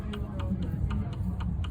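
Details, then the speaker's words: Lotus Elan M100 CV axle and jackshaft rocked by hand: sharp light knocks about four a second over low hum; excess play where it shouldn't move, probably cause of slight vibration, exact worn part unknown. "you can hear the knocking and I mean this is a CV axle obviously so it should have some movement but it's this movement in this so this is really what shouldn't be moving"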